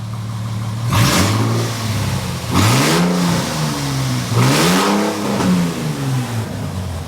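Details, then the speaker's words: Replacement engine for SLK320, still cold and run without coolant: one or two revs from idle, pitch rising and falling smoothly with no knock or rattle; smoke from both exhaust sides easing, owner suspects possibly valve seats but motor sounds good. "We're going to give it 1 or 2 revs and then let it sit for about an hour because I don't want to overheat anything because I got no coolant."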